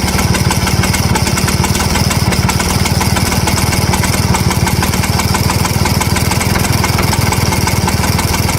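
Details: 1963 Vespa VBB two-stroke scooter ticking over with a dry, uneven metallic rattle on the exhaust beat; a rattle at idle, and it won't start after warming up; cause not yet found.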